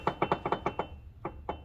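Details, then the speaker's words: 2004 GMC Envoy, inline-6, front wheel raised, old CV axle wiggled by hand after refilling the front diff with 75-90 synthetic gear oil: sharp dry clunks in bursts from excessive ring-and-pinion play. Ring and pinion backlash knock. "ring gear. A lot of play on that ring gear going to the pinion. The pinion and ring gear, they should have like a really snug fit."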